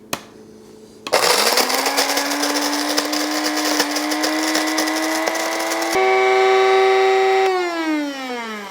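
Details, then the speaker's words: Cuisinart Supreme Grind burr grinder grinding 10 g of beans on coarsest setting: steady high vacuum-like whine with buzzy rasp of beans, pitch rising as it empties, then winding down; normal grind. "a bit kind of sounds like a vacuum cleaner you could say"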